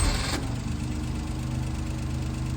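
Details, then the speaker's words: 1988 Daihatsu Hijet mini truck, long-stored, hot restart with no pedal pumping: short crank catches almost instantly and settles into a steady, even idle, a clean normal hot start. "fired right up no way no way no pumping no nothing yes that's a win"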